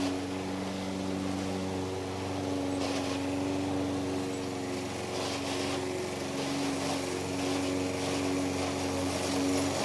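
A steady engine hum with a rough, uneven rasp underneath while mowing; the self-propel transmission is grinding.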